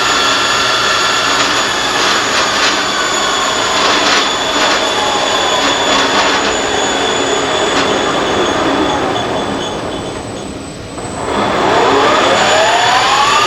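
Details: Monarch Merit lathe after converting its non-working DC drive to an AC drive; spindle around 420 rpm, deceleration much longer than acceleration. Steady high whine holds, dips as the spindle slows, then climbs smoothly as it speeds up again; healthy spindle drive, works fairly well.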